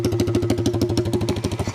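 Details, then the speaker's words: '82 Honda Z50 with newly swapped Lifan 125cc 4-speed single, fuel tank not plumbed and running low on gas; even putt-putt settles smooth and quiet; normal idle. "check out how quiet it gets nice and quiet"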